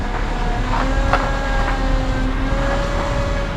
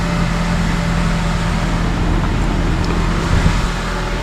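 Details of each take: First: 2007 Honda Accord, engine running while steering: screeching whining that shifts pitch as wheel turns; power steering pump failing, fluid very low and pump sucking air, hard steering. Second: 2007 Honda Accord idling and the steering wheel turned on first start right after replacing the power steering pump and hoses: steady idle hum, one brief clunk, no belt screech or squeal; repair successful, normal.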